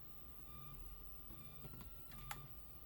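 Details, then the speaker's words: Philips Azur Elite steam iron that won't heat: with the board exposed and ear close, a single faint crisp relay click on plugging in means the main board is fine; no click means a faulty main board. "sesi geliyorsa anakartın sağlam rezistans veya Biraz önce yaptığımız işlem tarafında bu alt tarafta sorun var ses gelmiyorsa anakartta sorun var"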